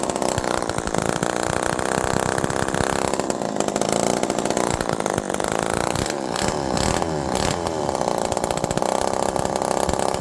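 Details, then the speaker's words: Old Homelite Super Mini two-stroke chainsaw, low jet at about 1.25 turns out with fuel pouring from the muffler: burbly, uneven idle hunting up and down, far too rich. An earlier air leak was suspected, not confirmed. "this low jet is at half, 1, half, 2, half, 2.5 turds. That is so rich that this thing should be dying, okay?"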